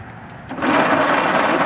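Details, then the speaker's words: Willys Jeep engine just freed from seizure by hand, valves sounding rusty, turned by starter on jumper cables: fast, rough whirring churn with a dry, rusty clatter from the top end; the engine turns over. "oh awesome awesome it turned over"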